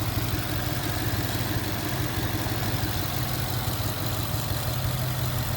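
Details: Ford Mustang GT V8 after bearing replacement for a knock, electric fan unplugged: deep, even idle rumble with no knock or tapping; bottom end sounds healthy, while coolant leaks from a cracked radiator.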